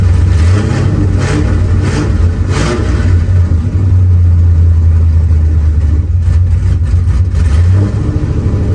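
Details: Car started up fine after a bad ground was fixed, now with a deep, loud engine rumble and sharp puffing bursts on the revs from an exhaust leak awaiting welding. Exhaust leak.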